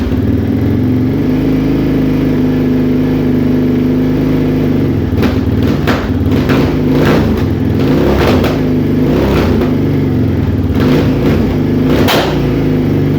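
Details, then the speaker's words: 2001 Yamaha Raptor 660R single, first start on choke and revved; sharp irregular pops crack from the exhaust about every second, little smoke; backfiring, owner suspects ignition timing, unconfirmed. "no serious amount of smoke was coming through the the the tailpipe just a you know put some back fire or some serious backfires coming out of there so I wonder what that is maybe an ignition timing thing not exactly sure"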